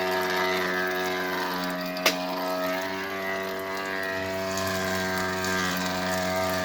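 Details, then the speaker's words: Electrolux washer keeps running with a steady low hum, light ratcheting and one sharp click, even after pause/cancel and with the outlet breaker and whole-house main power switched off; cause unknown. "Okay, power off to the whole house and it's still running."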